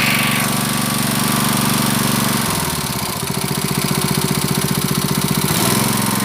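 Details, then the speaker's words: Honda GX160 5.5 hp water pump engine, unused about a year, with black-fouling spark plug cleaned and retested; mostly even single-cylinder putter at idle with a brief governor dip and recovery: normal idle, governor working. "So the stationary position is like this. It feels better . The 'dut' sound is so It indicates that the governor is still functioning"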